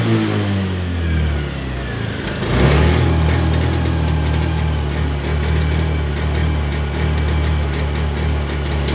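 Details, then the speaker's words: 2017-2018+ Honda Scoopy eSP scooter at full throttle: revs then holds a rough, stumbling drone, limiting at about 60-70 km/h and unable to reach 100; cause misadjusted throttle position sensor and dirty throttle body, fixed by throttle body service, sensor adjustment and FI reset. "Nah, ini dia di angka 6070 itu sudah limit bunyi de seperti mau mati gitu, Guys, ya. Merebet, ya. Jadi kalau digas pol dia itu mbet mbet tidak bisa lari sampai 100 dia larinya sampai 70-an seperti itu."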